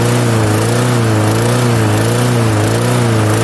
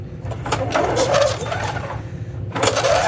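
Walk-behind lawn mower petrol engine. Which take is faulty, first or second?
second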